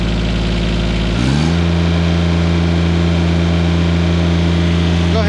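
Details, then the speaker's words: John Deere 332 garden tractor taken to higher rpm after startup: engine climbs smoothly from a low chug to a steady, even drone with no misses or knocks; slight white smoke on startup clears quickly; normal high-rpm running. "but we'll at least take her to higher rpms no problem on startup a little bit of white smoke but that clears up real quick"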